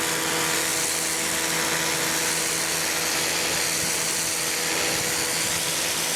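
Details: Campbell-Hausfeld PW1835 1800 PSI electric pressure washer, universal motor, new: steady even high hiss with constant motor hum, no surging or rattles; runs smoothly, owner feels pressure more like 1300 PSI.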